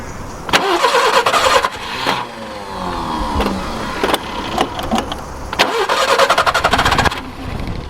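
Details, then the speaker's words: Barn-find Subaru Brumby ute, previously seized and full of water: starter cranks in repeated bursts but engine never catches; pumping the pedal shows no fuel coming through to the carburettor. "come on just pump the paddle see if we got any fuel coming through there yeah still nothing"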